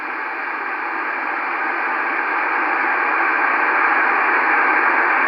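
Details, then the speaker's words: FT-902DM receiver with the antenna disconnected, volume at maximum, RF gain raised from zero: a steady hiss in the upper mids rising gently in level. Normal audio amplifier and receiver RF noise. "so this is the actual noise of the audio amplifier and when I switch the RFK up gradually you start hearing the band noise not the band noise actually the the RF noise of the transceiver itself note that we are at maximum volume now maximum audio"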